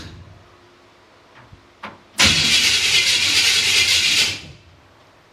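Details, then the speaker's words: 1955 Chevrolet truck, starter bumped through temporary wires with a switch and push button while in park: two seconds of shrill screeching over the cranking, stopping when released. The starter pinion meshes poorly and the starter needs shimming. "starter needs to be shimmed, don't sounding like it's squealing for dear life."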